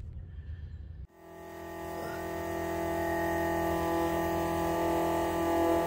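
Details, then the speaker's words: Loud, steady high whine from a rubber-isolated Summit electric fuel pump on a Nova, possibly the original restoration pump up to 12 years old; owner suspects old pump is just loud, Mallory 110 replacement planned. "it is isolated and it is just loud so i don't know if this is the original pump that they put in here when they did the restoration"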